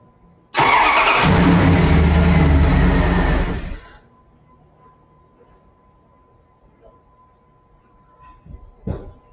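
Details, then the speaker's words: Headlight test with headlights on while cranking: about three seconds of brisk, even cranking at nearly four beats a second, then quiet. The cranking speed is just fine and the starter is healthy. "you heard the cranking speed and the cranking speed was just fine"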